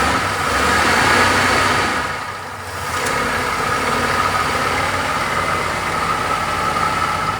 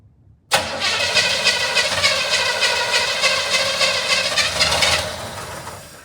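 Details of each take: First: 1975 Chevrolet Monza 350 V8, first start in 12 years: steady, even idle rumble with a light exhaust tick and no misses or knocks; smooth and clean, though it kept running when the shutoff was released. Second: 1975 Chevrolet Monza 350 V8, first start attempt in 12 years, on gravity-fed fuel, carburetor bowl gasket leaking: starter spins at a steady three-and-a-half beats a second for about four seconds, then winds down without catching; cranks, won't start.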